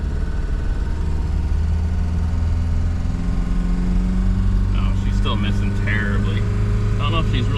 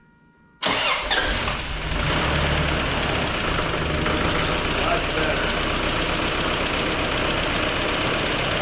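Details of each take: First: 1994 Toyota pickup 22RE, 251,000 miles, after new exhaust header gasket and valve adjustment: uneven drone stumbling under acceleration, misfiring then gaining power; owner suspects clogged fuel filter, last changed at 214,000 miles. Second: 1994 Toyota pickup 22RE, 251,000 miles, first start after new exhaust header gasket and valve lash adjustment: quick start, brief rev, steady idle with the usual 22RE click, no exhaust puffing; normal start and idle.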